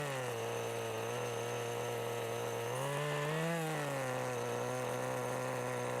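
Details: 1988 Kyosho Ford RS-200 RC car with OS Max 10 FP-B nitro engine, second startup since restoration: high clean buzzing tone, brief throttle blip then settles evenly; fires easily and runs healthy.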